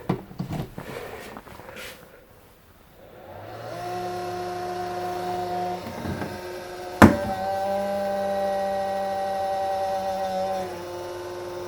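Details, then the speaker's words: Unmarked D-Power charger supplied with a Bafang BBSHD e-bike kit, plugged into the wall and battery: the fan spins up to a buzzy whir with an uneven edge. The charger was dropped and a loose plastic piece inside fouls the fan, causing the rattle. "Now, I dropped this at one point, and there's a little piece of plastic in there. It does sound a little bad when you plug it in."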